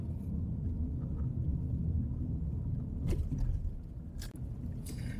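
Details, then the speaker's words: Honda CR-V Turbo after full sound-deadening install, test drive at about 40 km/h on rough asphalt, heard from inside the cabin. Soft, even tyre drone with occasional light thumps; quiet, well-insulated cabin. "asik banget ya kita ngelewatin aspal kasar tapi di dalam kabin benar-benar halus banget"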